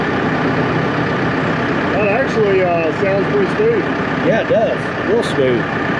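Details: Used brush mulcher being tested after repairs, guard fitted, hydraulic fluid leaking: steady even hum from the spinning mulcher head with no knocking, wobble or surging; running smoothly.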